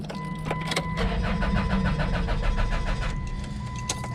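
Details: Stranded car not started for about two weeks: starter spins the engine in a steady chug of about three and a half beats per second but it never catches; relay ruled out, fuel pump suspected, not confirmed.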